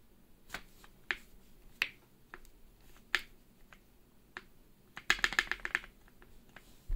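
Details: Keychron Q1 with Gateron Box Black Ink switches, Durock V2 stabilizers and GMK keycaps, after masking tape was put on the stabilizer stem to fix a lifting spacebar: crisp single clicks, then a quick flurry, with no rattle or double pop. Normal spacebar operation.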